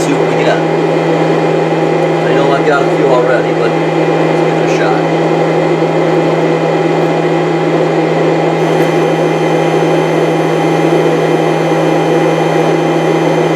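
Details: 1998 Chaparral, Mercruiser 305 (5.0) V8 carbureted Alpha1 sterndrive running rough/misfiring: flow test after fitting new fuel filter, about 15 seconds, steady even electric hum; fuel pump okay, old filter probably okay, no water or sediment.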